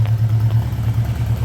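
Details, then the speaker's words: 1979 Honda GL1000 Gold Wing, cold start after valve seal replacement for excessive smoking; steady, even idle hum with no misses or tapping; no exhaust smoke seen; normal idle. "all right here we go better than I expected nice nice Never Smoke you didn't see any all good"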